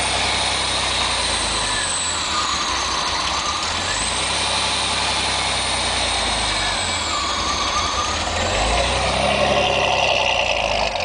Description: '87 Fiero GT, has a really rough idle when I first start it each day. Tried to get a shot of the tach, may be too dark, but it goes from about 1100 to 550.